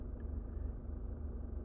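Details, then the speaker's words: 2020 Subaru Forester idling with ignition on: steady low hum with faint buzzing edge heard inside the cabin; owner doesn't know the cause or whether it's normal. "hi this is subu 2020 Forester and the ignition is on the card is uh in idle right now and if you can see this humming and buzzing sound while it's"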